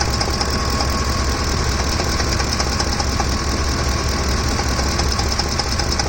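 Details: Ford F-150, noise in engine bay when hot; rapid uneven ticking knock, about a couple per second, over a steady idle from the top of the engine; owner suspects a camshaft problem, unconfirmed; top-end knock.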